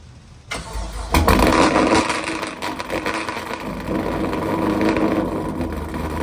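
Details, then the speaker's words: Pontiac G8, first start after an engine rebuild and reassembly: cranks, catches about half a second in, then settles into a fairly steady V8 idle with some looseness; the engine runs, and the smoke seen is said to be oil burning off. "Shit. All right, this motherfucker running though. I ain't gonna lie."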